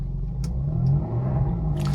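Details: Peugeot 406 V6 manual, after resealing the intake manifold gasket with RTV following cylinder 5 misfire and limp mode: smooth steady rev with clean even pull, no stumble or popping; owner notes misfire may return near 2000–3000 rpm on a drive.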